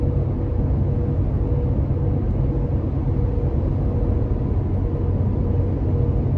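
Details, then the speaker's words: Toyota Tacoma with aggressive off-road tires at about 60 mph on smoother pavement: steady low road roar, no thumping or rising whine. Normal tire noise, nothing wrong. "you a little bit of an idea what what this sounds like again really not too bad"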